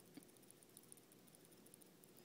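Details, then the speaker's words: Les Paul Tune-o-matic bridge causing string buzz, shaken by hand: faint, irregular light metallic ticks of loose saddles; loose bridge saddles rattling. "but on top of that it doesn't actually do a good job and if i shake this you can hear the loose saddles in it"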